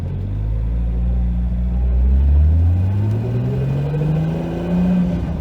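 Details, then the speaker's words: 2JZ-swapped 300ZX with CD009 transmission and Grannas Racing Tilton ST246 twin-disc clutch, about 2,500 miles at nearly 600 lb-ft: lowest revs, floored in first then second gear, smooth rumble with no clutch chatter. "No noise in first. Second, as low as we can go. Flooring it. No noise in second."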